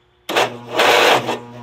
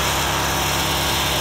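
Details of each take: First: Agway GT 1846 garden tractor, cold overnight, battery previously jump-started; uneven labored cranking in strained bursts that never catches, slow weak starter, owner suspects starter, battery to be changed. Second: Agway GT 1846 garden tractor, industrial commercial single-cylinder engine, started cold after sitting: even steady drone with no knocks, misses or surging; running smoothly and healthy.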